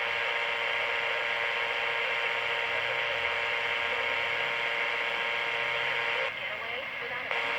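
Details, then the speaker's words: Mid-1960s Panasonic R8 micro tabletop transistor radio: loud steady hiss drops out for about a second when the oscillator transistor is heated and returns after freeze spray; intermittent audio from a heat-sensitive faulty oscillator transistor. "So the transistor is this guy right here. It's the oscillator transistor."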